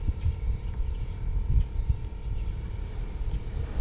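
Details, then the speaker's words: Mercedes SL500 R129, low-speed fan relay reinserted and a slightly melted 15 A fuse fitted, fan activates: a deep steady rumble comes in and holds even with no knocks or rattles; low-speed radiator fan and circuit work normally, fuse to be replaced. "and there goes the activation. Fan comes on. If you listen to it, if you look at it, now this is low speed fan."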